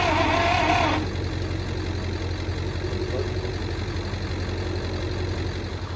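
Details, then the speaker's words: Michigan 35A wheel loader, Continental six-cylinder gas engine, sat for years, with one burnt-off plug wire: the starter grinds slowly and unevenly, never catching, barely faster with cables wired direct to the starter. A power draw is suspected. "still sounds like something's drawing down on it or something so now we're going to try and hook the cables right to the starter to see if it spins over a little faster should be good even doing that didn't seem like a spun much"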